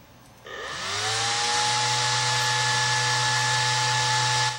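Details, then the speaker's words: Fan in an OCZ Goliath SE CPU cooler comparison of 60 mm and 80 mm fans, on a 1.0 GHz Duron overclocked to 1.2 GHz at 1.85 V: loud, steady high-pitched whine with rushing air, no wobble or rattle; normal fan running. "thing that is certain about this cooler, it's quiet. It's very quiet."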